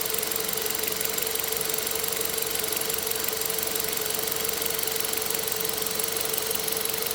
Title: 2001 1.8T Beetle engine knocking